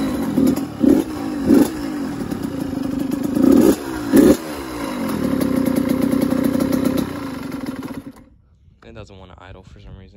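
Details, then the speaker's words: Suzuki RM85 two-stroke just rebuilt with split cases, new main bearing and Hinson clutch, old clutch plates still in: ragged throttle blips keep it alive, then it sags and dies once left; won't hold idle, owner suggests idle screw adjustment. "don't really care I'll fix it up later you should probably just idle screw or something"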